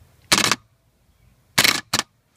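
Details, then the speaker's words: Bench test of a starter from a 1994 Ford Ranger 4x4 4.0 jumped from a battery: three sharp clacks as the pinion throws out, but the motor seizes and won't spin. The starter is bad. "so as you can see the little gear in there is jumping out but it's not turning healthfully see it just seizes up that's it bad starter"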